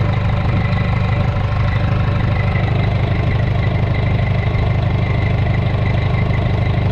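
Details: Rebuilt Detroit diesel restarted after dirt was found in the charger system, source still unknown, with a broken governor line still to fix: deep, even idle rumble, about three firing pulses a second, no knocks or misses; smooth.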